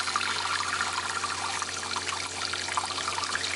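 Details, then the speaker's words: 1998 Bayliner Ciera 2655 fresh water system: after moving the top valve lever blocks pressure, the electric water pump shuts off and the warm water trickles to a complete stop. Hot water lasts only seconds, while the tank holds plenty. Owner suspects mixed-up valve positions. Cause unknown. "you hear the water the electric water pump turn off okay and eventually it's gonna trickle to a complete stop"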